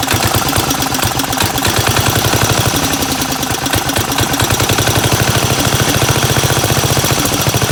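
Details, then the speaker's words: 1975 Gravely 816S tractor single-cylinder engine, starter swapped from parts engine; chugs, surges and stumbles rich while fuel valve opened and closed, gas pouring out back of carb; suspected stuck float flooding carburetor. "But, definitely the float's stuck or something cuz it's just pouring gas out of the back of the carb."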